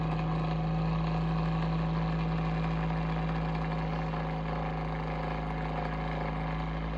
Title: Abnormal sounds from Bionaire Ceramic Heater Tower (What’s wrong?)